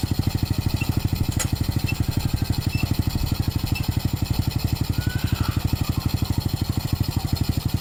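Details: Motorcycle started after an oil change and refitting the filler cap: even, rapid single-cylinder putter at idle, steady pace with no knocks or rattles. Normal, clean idle.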